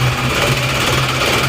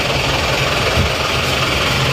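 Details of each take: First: Isuzu Panther diesel, low power despite serviced nozzles, compression about 28 bar, just started after nozzle lines had been off: harsh hard clatter with uneven shaking beat; rough running from injection pump timing set too far advanced. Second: Isuzu Panther diesel after retarding the injection pump timing back to the standard centre position. Steady clatter with an even low drone and no harsh rattle, smoother than before. Normal running, with noticeably more power.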